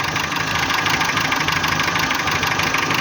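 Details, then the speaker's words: Renault K7J engine, 348,000 km: rough, shaky idle with uneven metallic knock about three times a second; not hydraulic lifters, valves and clearances fine, high compression suggests oil; knock brought power loss, source not yet found. "включал мотор мотор работает неровно с [аплодисменты] вибрациями идёт посторонний шум это не гидрокомпенсаторы здесь их"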